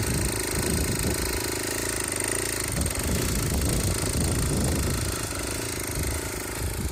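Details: Aprilia SR50 two-stroke on a test frame, after a loose flywheel and bad fuel pump wiring: small engine buzzing along steadily with a quick, slightly uneven putter and no rattles. It runs properly.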